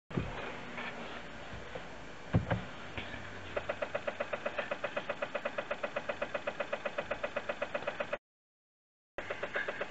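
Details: Toyota Yaris Hybrid, about 20,000 km, 2-year-old 12V battery, garage at -13°C: rapid even clicking about four per second with no cranking; starter clicking from a flat 12V battery, fixed by charging it.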